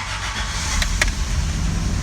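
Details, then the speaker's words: Old carbureted Land Cruiser started after a long absence (cranked about 10 clicks, pedal pumped slowly 10–12 times, on choke): catches into a low, uneven, struggling idle with clicks. The fan clicks off after about 30 seconds, then the choke is eased in. "There we go. And you can hear it's struggling a little bit, so you just gotta give it like, I don't know, you'll hear like the fan click off after about 30 seconds, and then you can kind of slowly push the choke in and make sure that it idles."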